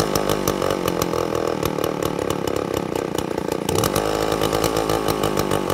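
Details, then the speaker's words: 2-stroke chainsaw with an impulse diaphragm carburettor, unloaded at full throttle, chain set very loose and idle set low for the demo. It burbles and stutters instead of screaming. High-speed mixture deliberately rich ("fat"), four-stroking; it will clean up in the cut. "now I chained it super loose so I had it set a little bit low on idle to get that chain to stop just for demonstration purposes but you see how bringing that it sounds really really fat"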